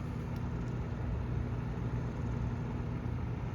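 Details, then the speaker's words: 1997 Windmere Turbo Fan WTF-7 on low speed: soft even hum with no rubbing or ticking; suspected rotor-on-stator rub noise barely if at all heard, fan running smoothly. "it should run a lot better regardless here's a low and I don't hear it so that's a good maybe a little bit"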